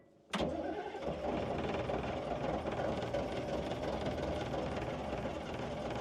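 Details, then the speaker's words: CAT 613C military scraper diesel, sat for years, cranking after a new fuel pump and filters. Steady cranking with low, uneven chuffing and occasional catching beats but never reaching idle; black smoke shows it is getting fuel, though not enough yet. "Come on, sweetie. She needs a little bit more down her throat hole, I think. It's trying."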